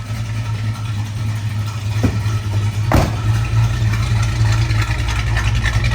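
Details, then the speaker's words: 1971 Plymouth GTX V8 with high-performance exhaust manifolds, heard at the tailpipes. Loud, rowdy, lumpy idle rumble, steady and even with no misses or ticks; normal, healthy idle. "you can hear how Rowdy that exhaust sounds with those high performance exhaust manifolds on there"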